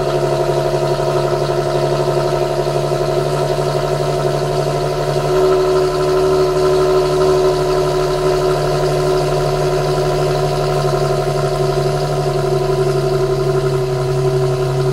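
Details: 2008 Infiniti G37 with the original factory exhaust, cold start at 1400 rpm fast idle: constant deep droning hum with no change in pitch. The owner suspects excessive exhaust noise that may qualify for warranty replacement.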